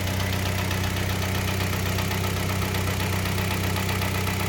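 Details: Kia Sportage 3, 122,000 km, warm after service: oil changed from Shell 5W-30 to NGN 5W-40, throttle and injectors flushed, oil and air filters replaced: smooth, even idle with steady low hum, earlier dull metallic knock gone; normal idle.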